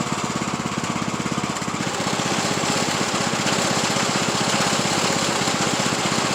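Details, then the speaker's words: Craftsman YT3000 riding tractor still smoking after an oil change (owner suspects head gasket), transmission engaged: fast, uneven rattling knock about 4/s, source not found, bracket thought not to blame; knocking noise. "I'll put my camera underneath there a minute and see what's going on with it White's making that noise like it's doing it's weird how that's sounding"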